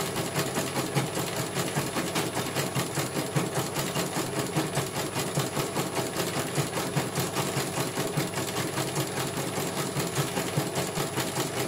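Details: CNY computer embroidery machine from Banjarnegara, Central Java, test-stitching after service (dynamo motor earlier wouldn't spin at all): steady, even needle rhythm over smooth motor hum, no grinding or knocking; one colour finished, result very good, normal stitching.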